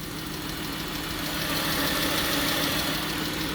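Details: 2017 Jeep Grand Cherokee, possibly the 3.6 Pentastar V6, with a new PCV hose and alternator: fast, light ticking, about three to four a second, over a steady idle hum, likely from the top end; cause not confirmed.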